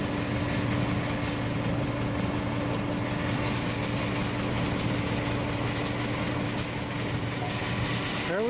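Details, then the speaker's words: Forklift engine idling normally after a cylinder repair: a steady, even idle with a constant low hum and no knocks, misses or surges, working just as it's supposed to. "just like it's supposed to work i'm liking it"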